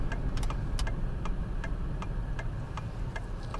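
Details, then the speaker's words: 2013 Lincoln MKZ 3.7L V6 AWD driven over potholes, speed bumps and a manhole cover: sharp irregular clacks about three a second over low road rumble from the rear left, driver's side; loose-sounding rear suspension clunk. "currently right now in the back it is making a sound that makes me feel like something is loose so what i'm gonna do is i'm gonna purposely drive over every pothole speed bump"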